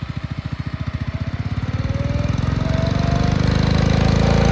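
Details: 1962 Bolens Ride-a-matic garden tractor, test-driven outside: even single-cylinder thumping picks up smoothly from a slow beat to a faster steady run, no misses; runs very well at varied revs.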